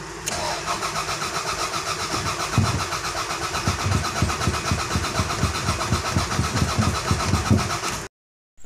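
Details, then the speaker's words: Toyota Corona, crank no start: the starter churns the engine at a steady even beat for about eight seconds without catching. There is no spark; fuel reaches the rail, so the fuel pump is fine, and a faulty ECU was found after trying a borrowed distributor. "Kasi yung corona, ayaw may start walang kuryente, so sinubukan ko na siyang buksan yung fuel rail."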